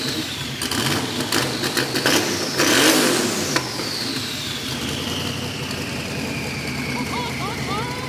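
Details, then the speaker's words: Twin-turbo VK Calais V8 after injector and pushrod fixes, before its tune: loud blip up and clean fall with turbo whistle, no misfire or knock. Healthy running. "I think it actually is that yeah it is it is it's not quite supercharged big block loud but it's it's loud"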